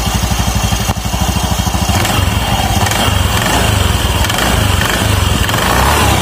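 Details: Automatic scooter, LPG-treated used CVT rollers refitted and roller housing tightened: engine catches with quick even firing pulses, then settles into a smooth steady idle with no rattle or slipping from the drive.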